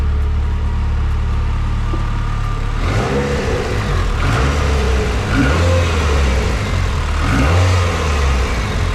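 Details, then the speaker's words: Nissan S15 with SR20DET turbo petrol engine after VVT sprocket replacement: it idles low and steady, then takes a few clean revs with the earlier loud VVT rattle gone. "now if you come over I'll give it a few revs you will hear that the noise is gone"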